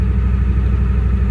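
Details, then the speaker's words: 1989 Ford F-250 with air somewhere in the fuel system: heavy diesel with a steady low throb and a slight lumpy beat. The rough running clears as throttle is given. "Well, yeah, I've got air in the in the system somewhere. kind of makes it run a little poor, but as soon as I give it some throttle, it kind of goes"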